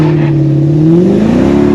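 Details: 2004 Mercedes E55 AMG, supercharged 5.5-litre V8, on a road drive with the supercharger clutch defeated by welding the drive pulley to the driven pulley; deep V8 note climbs smoothly under load with no slipping, knocking or whine.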